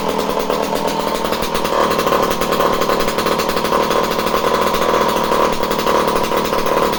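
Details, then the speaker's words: Homelite C51 two-stroke chainsaw, previously reported non-running, with fresh fuel, carb needles at base factory settings and confirmed spark: steady high-pitched buzz at even revs with no surging or dropouts; running cleanly. "You send something and then it just doesn't work when it gets to somebody, and it comes back and then it works."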